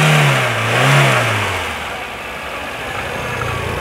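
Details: Hyundai Getz with one owner, petrol: engine revs up and settles back smoothly with an even, clean note and no knocks or rattles, a healthy engine said to run with little smoke.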